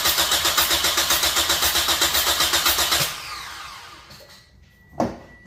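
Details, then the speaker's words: Toyota cranked with throttle floored for in-cylinder transducer compression test; even strong cranking about four beats a second, no dragging or skipped beats, reaching 175 psi; healthy compression. "but we're going to turn crank it I'm going to hold my foot to the floor on the accelerator and just crank it and we're going to just get a crank and compression test"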